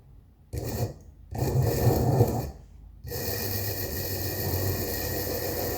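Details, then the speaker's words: Hornby 0-4-0 tank engine 25550 (1972-74) motor after donor-chassis swap and soldering a wire to the brush, run on battery: after short starts settles into an even steady whir; sounds a lot better, running normally. "That sounds a lot better."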